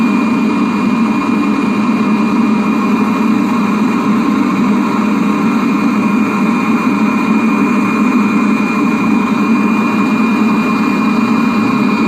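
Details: Webasto parking heater on a 1999 Seat Alhambra 1.9 TDI, after repair: constant smooth combustion roar with steady fan whir, no pulsing or stumbling; burning cleanly, normal operation.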